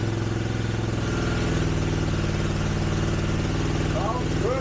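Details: 1983 Honda GL650, sat outside 30+ years, carbs cleaned, started on choke: even steady idle with smooth regular low pulse, no misses, knocks or smoke; normal idle.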